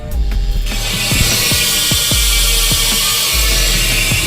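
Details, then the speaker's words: Freshly serviced BMX rear hub, relubricated with springs tensioned for more volume: loud, crisp ratchet clicks every fraction of a second while coasting, a healthy freewheel. "ну слухайте вона так рипить що аж полт тремтить ну Уявіть собі блін"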